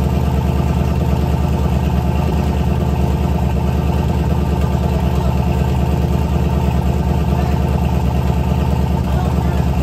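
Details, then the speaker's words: LS turbo V8 in a Chevy S10 truck, true first startup with a short exhaust and lots of smoke. Loud, deep, even burble at about three pulses a second, idling cleanly with no misses or knocks. Owner says it's very loud: normal idle. "That is loud, dude. That sounds so good. It does sound good. It is so freaking loud."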